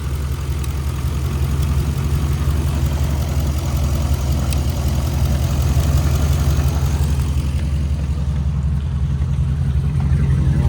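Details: 2011 Ram 1500 5.7 Hemi 4x4 idling on a temporary jumper bypassing the failed fuel pump relay inside the TIPM, after crank-no-start: deep steady low rumble holding even idle throughout, no misses, knocks or surging; normal idle.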